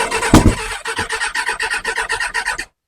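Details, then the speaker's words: Kawasaki ZX6R G1 cranking with choke on and new battery: a sharp backfire bang early on, then quick even starter pulses without catching; owner suspects too little fuel or wrong ratio collecting and igniting, likely carb-related. "you see you get that bang which makes me think some fuel's getting through but not enough or the right ratio something's going wrong it's collecting down there spark back fires out"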